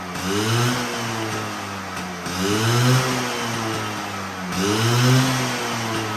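Crisp two-stroke buzz idling steadily, then rising cleanly on three blips about every two seconds and settling back; runs healthy.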